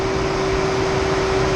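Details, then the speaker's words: Tesla Model 3 supercharging at about 100 kW, battery near 40 degrees: air conditioning cooling the battery, loud steady fan roar with constant hum, no beat or rattle; normal condenser fan running hard. "Air condition is on and cooling the battery. First time I'm seeing this."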